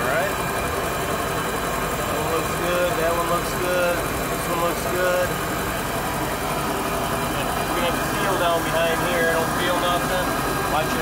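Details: Volvo Penta boat engine idling in the water after a refurbished fuel pump was installed and primed: even idle over water splash, no whine from the pump, running well.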